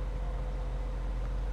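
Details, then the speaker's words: Newly bought Nissan Fairlady Z Nismo at idle after first start: deep, even exhaust burble with no knocks or stumbles, very smooth and quiet exhaust, owner wished for more character; normal idle. "ya suara knalpotnya sangat halus Sebenarnya berharapnya ada lebih suara yang berkarakter e"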